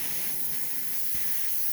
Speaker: But it's leaking pretty good, and it's leaking out of the top of this valve.